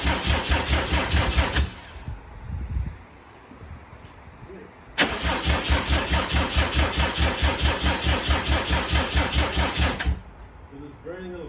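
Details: 2007 Subaru WRX swapped to STi engine, first start-up, booster pack hooked up: starter spins engine in fast even chugs about two per second, never catches; crank no start.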